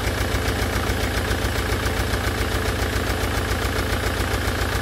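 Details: Land Rover Defender Puma 2.4 TDCi diesel, first start after rebuild with new oil pump and wiring loom, idles with a light regular tick over the clatter; hydraulic tappets still empty of oil, ticking gone after 45 minutes running.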